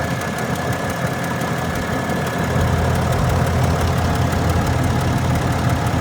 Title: 2021 Ram 2500 ticking noise